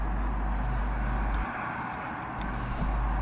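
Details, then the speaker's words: Old Murray lawnmower, single-cylinder, which was bogging down and cutting out, after a quick cleanup: holds a steady low drone without bogging or cutting out; running better. "so a quick cleanup of the inside of the car running a little bit better"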